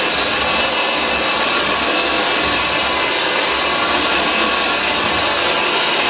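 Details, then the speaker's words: Vintage Hoover 612 upright vacuum after refurbishment, motor thought to run slower than later Hoover Celias though much the same motor, switch slightly iffy: constant high, airy motor and fan rush, steady pitch, no rattles or labouring; normal running. "Have a look at that, but as you can hear, it is absolutely superb. These machines, they actually, I think, run a bit slower than the later Hoover Celias, though they are pretty much the same motor."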